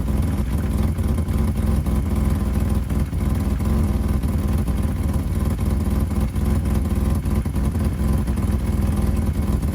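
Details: 1985 BMW 535i E28 M30 inline-six cold start at 19°F after sitting months: rough running with uneven puffing tick over low exhaust drone, from a pre-existing exhaust leak where the headers dump into the catalytic converter.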